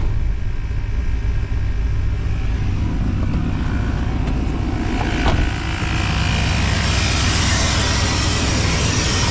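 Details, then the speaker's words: 1992 Chevy Blazer that sat 12–15 years, just started: deep, loud, blatty exhaust rumble at steady running; loud exhaust, owner suspects the muffler popped, unconfirmed. "Here she is, boys. She runs. I think the muffler's popped."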